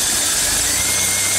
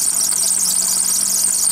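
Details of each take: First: Engine at idle after a wet, squealing drive belt was treated by sprinkling corn starch on the pulleys. Only a steady hiss and faint hum remain, with no chirp or squeal; the belt now runs quiet. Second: Running car engine with a belt wet from driving through water: piercing, steady high-pitched squeal of the slipping belt, heard before treating it with cornstarch.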